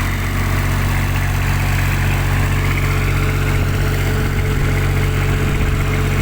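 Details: Kubota tower light generator diesel that would not start; clogged primary fuel filter, loose fuel hoses and an air lock found; steady, even low drone with no misses or knocks; normal idle.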